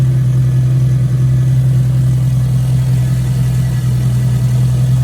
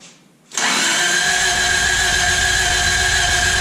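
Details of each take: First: 1986 Toyota Corolla AE86, parked since 2010, running after its spark plugs were cleaned. Warm four-cylinder idles slightly high with a smooth, steady hum and an even rhythm, no knocks or misses, as coolant temperature rises. Runs well. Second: 1986 Toyota Corolla AE86 parked since 2010, charged battery fitted: even, fast starter whir, engine turning over but never catching, one near cough; plugs to be pulled next. Crank no start.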